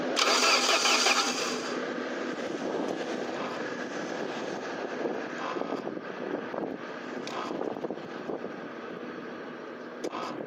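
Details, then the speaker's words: SAAB 9000 abandoned for five years, with a new battery, cranked with the direct ignition cassette disconnected: steady starter churning at about three pulses a second and no firing, cranking without starting. "so the new battery is installed um let's try to crank it now with a disconnected direct ignition cassette and see what happens"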